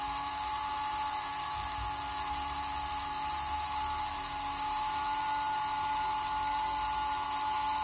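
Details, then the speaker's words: Märklin 7186 turntable, previously sluggish clockwise and stalling, after repair with Märklin oil on cogs, run both directions: steady high-pitched motor whir, even and unbroken, no ticking or grinding; normal running. "i'm now operating the turntable in both directions just to see how well it behaves"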